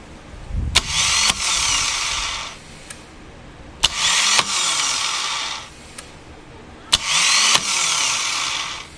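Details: 2007 Harley-Davidson Night Train (Softail), starter spinning free: three bursts of high whir with a click at each start, engine never turning over; failed starter clutch with chipped, shaved Bendix gear teeth, fix is replacing starter clutch or starter.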